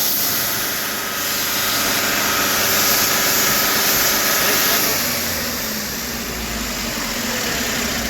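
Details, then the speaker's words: Tata BS6 truck diesel that several garages could not diagnose, running and revving: a strong, airy hiss rises with revs and the sound changes under throttle. The cause is a burst turbo pipe leaking boost. "Turbo pipe फट गया। जाने के कारण जब हम गाड़ी चलाते हैं मैं रेस में भाग ले रहा हूँ। यह ध्वनि इसमें बदलाव आ रहा है। और यह पाइप फट करने के लिए इसीलिए हो गया।"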